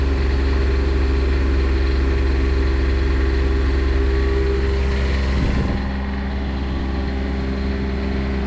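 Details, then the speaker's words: Onan Quietdiesel 7500 generator, 2400 run hours, in a 2000 Holiday Rambler RV, after full service and reinstall: smooth, constant low drone with an even beat; runs cleanly and quieter than before. "Well, it runs, and it definitely seems quieter than it was before."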